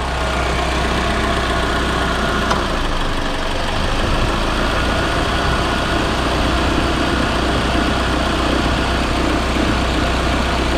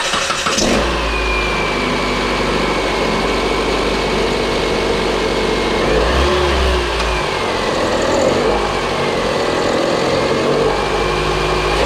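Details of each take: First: Proton Inspira (Lancer 08), one week after replacing the belt tensioner, idler pulleys and V-belt: a smooth, even idle with a steady low hum and no squeal, chirp or rattle from the belt drive. Normal idle. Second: Proton Inspira / Mitsubishi Lancer 2008 on start-up: high squeal over the idle that rises and falls with each blip, likely slipping V-belt; belt tensioner showing play, replaced with idler pulleys and belt.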